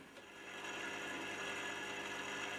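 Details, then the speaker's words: 1930s Columbia record player, 240 V AC motor, first run after reassembly: light rasping whirr over a faint steady hum, rather noisy; brake needs adjusting; noisy turntable motor, brake out of adjustment. "yes and success has attended our efforts so rather noisy oh i think we'd better hang on i shouldn't have done that we better get the break adjusted first"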